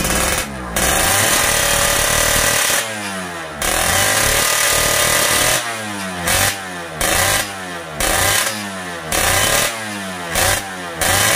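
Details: Yamaha Fiz R two-stroke after getting very wet revs in short, uneven bursts, stuttering and bogging under bottom-end pull instead of climbing cleanly, heavy throttle.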